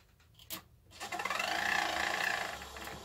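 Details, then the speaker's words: VW Squareback fresh air box blower fan, powered on bench: light rhythmic scraping about four per second over the whir; fan rubbing its housing, later fixed by repositioning. "now it's definitely still rubbing on something so all right how do I take you apart"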